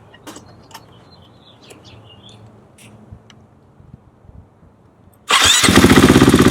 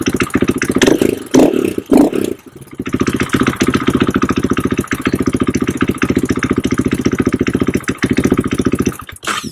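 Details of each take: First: KTM/Husqvarna bike that lost power, after replacing in-tank fuel pump and filter and securing the fuel line: fires straight up and settles into a firm, even beat, noticeably stronger; normal running after fuel pressure fix. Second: KTM/Husqvarna with power loss: a few rough catches, then a choppy, slightly uneven idle; fuel pump can't build or hold pressure, and a big in-tank leak is visible with bubbling fuel; low fuel pressure.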